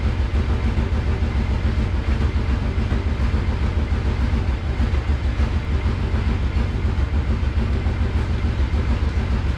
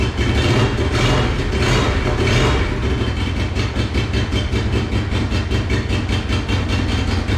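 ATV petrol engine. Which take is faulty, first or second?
second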